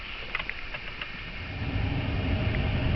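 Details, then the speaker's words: 2004 Chrysler Town and Country, no-heat fault, after replacing blower motor resistor and reconnecting blower: quiet start then steady even rushing airflow, no rattle, squeal or cut-out; blower working normally. "on oh and it works so we're good everything's connected they're tight screws are tight everything's good"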